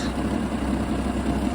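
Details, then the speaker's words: Jeep XJ after replacing a bad fuel injector and tightening loose fuel line clamps that leaked: steady, even low idle with no misses, ticks or stumbles; running smoothly, no leaks. "So I tightened those up, and that seems to have solved the problem. So, got the good throttle response. No leaks."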